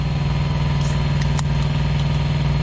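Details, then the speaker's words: Thermo King Evolution APU generator idling smoothly and quietly just after start-up, letting the oil warm up; a low, steady, even drone with no knocks or rattles. "there we go it started up oh hear that much quieter hear that here we go i'm gonna let that i'm gonna let that warm up a little bit just let that uh oil warm up"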